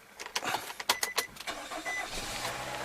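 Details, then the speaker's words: 2009 Nissan Rogue, new starter and battery, that previously only clicked: with the seized AC compressor's belt cut, a few quick clicks and a short crank, then the engine catches cleanly and settles into a steady idle. "so I cut the bail and I sing as I cut the bail that car started so I'm just gonna show you hopefully you can hear it once I started and you'll have no bail and here we go"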